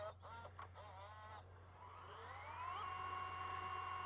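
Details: Sony CCD-SC55 Hi8 camcorder after head drum and LCD replacement, fast rewinding: quiet motor whir climbs steadily in pitch then settles into an even high whine; spins up smoothly, normal fast rewind.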